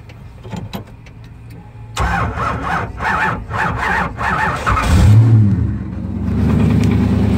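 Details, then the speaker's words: Drift car's nitrous-fed engine after it rod-knocked on its third track pass: it cranks about four times a second, squeals briefly, then catches into a rough, knocking idle. "alright guys well well the engine just rod knocked on that third pass we're gonna show you let's start it up"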